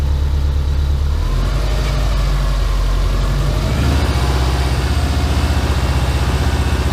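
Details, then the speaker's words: Subaru Impreza boxer engine rebuilt with SOHC heads, first start after over 2 years, warming up: deep even burble settling to lower idle partway, no knocks or misses; check engine light on, very low load on scan tool. Normal idle. "I'm not gonna lie, this looks really good right now. It's running nice, idle just dropped."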